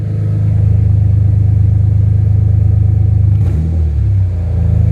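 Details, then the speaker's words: First start of a freshly swapped BMW M3 S54 engine, checking the self-done throttle wiring: a deep, steady idle, then a quick, clean blip that drops back to idle; the throttle responds crisply and works. Normal throttle response. "And just checking my wiring that I did on the throttle."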